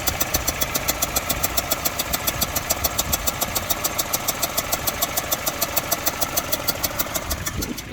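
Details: Mini Cooper R56 with N12 petrol engine at idle: rough, uneven running with sharp pops a few times a second, backfiring through the inlet; fuel pressure, coils, new plugs and timing tested good, intake manifold replaced, Valvetronic suspected.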